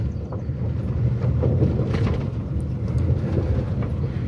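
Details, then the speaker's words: Loose body trim rattle on a 13-year-old Maruti Suzuki driven on a rough rural road: heavy road rumble with sharp clicks and buzzes over bumps from the roof, rear boot/hatch mirror, door trims and mirrors; quiet on smooth roads. "छत से भाई काफी बुरी नॉज इसकी आती है"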